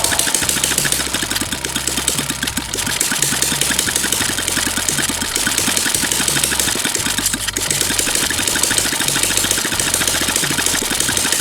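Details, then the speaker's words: Small petrol water-pump engine long unused, started after fuel refill: quick even popping settles into a steady smooth idle with no misses; now runs smoothly and idles slow. "Được rồi bạn ơi, cuối cùng thì động cơ cũng có thể sáng êm và bình thường cũng sáng chậm được rồi bạn ơi"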